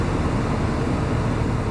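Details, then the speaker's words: Repaired blower motor that previously stayed on all the time, speeds being cycled after soldering repair: steady even rush of air with no rattles, ticks or squeals; normal blower operation. "I just cycle the speeds. You guys should be able to hear the difference."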